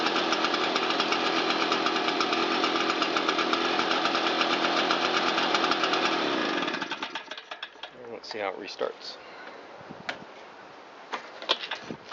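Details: Shindaiwa EB802RT two-stroke blower after fixing a backwards-installed replica carburetor and fitting new fuel hoses; choke off, a little throttle: a steady, even buzz with no stumbling or surging for several seconds, then shutdown. Running cleanly.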